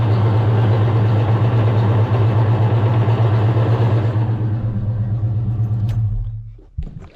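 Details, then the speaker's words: 1990 Mustang GT Fox five-speed manual, in neutral with the clutch pressed, only 1st and 2nd engage. A steady low drone with a faint rhythmic pulse; transmission suspected cooked from towing at an angle or low fluid, unconfirmed. "it honestly it sounds so bad even in neutral here I'll let you guys hear it in neutral"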